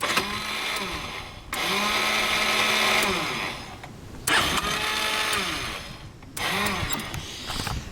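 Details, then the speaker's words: Hot Yamaha Vino 125 scooter on electric start: four short cranking bursts, each a whirring rise with harsh scraping grind, and it never fires; starter grinding when hot, suspected bad starter clutch, before replacement. "to me I think it's a bad starter clutch and I'm gonna try to fix it today"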